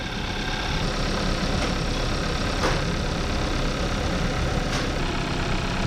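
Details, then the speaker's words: 2014 Kia Forte after ignition coil replacement for P0301 cylinder 1 misfire: even, steady idle with faint injector ticking, no stumbles; feels way smoother and no longer misfiring. "oh yeah feels way smoother we're not the best location I can get for the myth fire it is not misfiring anymore"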